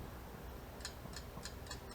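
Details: Yamaha XS650 engine during valve adjustment, cam rotated to top dead centre: the loose rocker arms are rocked by hand, giving a few light crisp metallic clicks about every quarter second. Correct valve lash.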